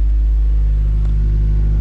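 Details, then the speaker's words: Honda Prelude warming up while data logging, after charging the battery and hammering a sticking starter: heavy, even low idle rumble that stays steady throughout; normal warm-up idle. "and as you can see we're idling 39 and we're warming up so everything's checking out good"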